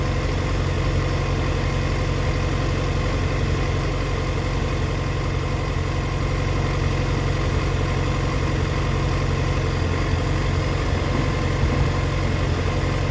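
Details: 2004 Yamaha FZ6 with immobiliser eliminator, misfiring when coming down to idle, dipping to 970 rpm versus 1260–1320 spec when warm: uneven, lumpy idle with irregular stumbles and dips; owner suspects a bad ignition coil.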